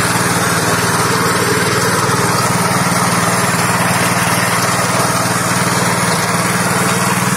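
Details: Fujijapan FJ601S 7HP tiller (2020 model), new, run at a customer's while tilling: small single-cylinder engine holds a steady even buzz, no misses or surging; normal running under load.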